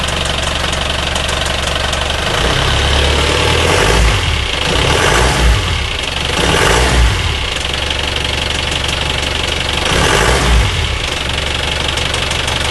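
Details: Engine noise at start-up: steady idle with an uneven knocking pulse, roughly four per second, over the engine note; cause unclear.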